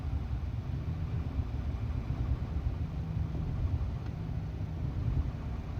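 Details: 2001 Subaru Impreza L 2.2 (EJ22E) manual, 155k miles, cylinders 1 and 3 misfire: low idle rumble with faint uneven beat; a dropped valve stem guide held an exhaust valve open, plugs, wires, coil, filter, MAP already done.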